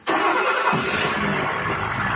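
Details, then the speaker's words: Old diesel Mercedes-Benz, first start after sitting a long time, no throttle: engine catches instantly and settles into a steady, even run; no leaks seen; healthy normal start. "Wow. Sounds good. I don't see any leaks. Starting for the first time."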